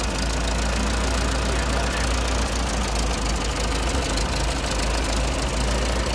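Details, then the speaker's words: Ferguson TO20 tractor, first start after gas tank removal and left front wheel bearing repair; fires right up into a loud, steady low idle with an even firing beat, no misses or surging, fitted with a car muffler; normal healthy idle. "Fire's right up Fire's right up you can't get no better than this old equipment I'll take this old stuff any day of the week man"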